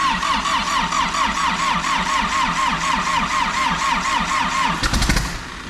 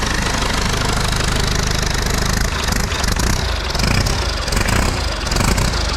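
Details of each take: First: Rolled diesel backhoe engine, first start attempt via remote starter switch on starter wire that triggers the fuel solenoid: steady cranking about two compression pulses a second with a rough cough near the end, then drops off; turns over but doesn't catch. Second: Salvaged diesel engine from a rolled backhoe, run on a test hookup: loud, deep, steady chug at fast idle, no odd knocks, lots of smoke but runs good. Normal diesel running.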